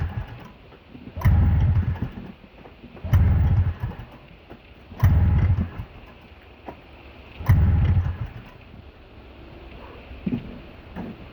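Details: Snowmobile in the cold with some corrosion in the carb, after sitting overnight: repeated pulls about every two seconds, catching briefly with a low burst then dying each time; hard start and stalls after firing, cause unknown.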